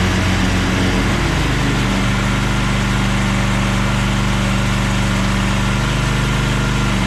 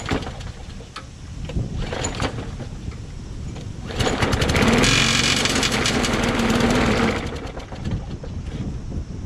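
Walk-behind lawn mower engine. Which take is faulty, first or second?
second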